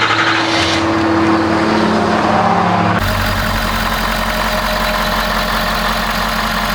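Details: 6.7L Powerstroke diesel started after replacing the crankcase ventilation filter and priming the fuel filter. Even, steady idle clatter with a constant low drone, no knocks or misses. Healthy, normal idle.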